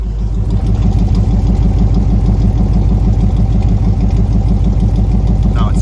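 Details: Square-body truck at idle before a spark plug change, indoors and not fully warm: lumpy, uneven idle with a stumbling pulse about three times a second; owner says the misfire is worse when warm and suspects the plugs, which turned out mismatched. Cause suspected, not confirmed.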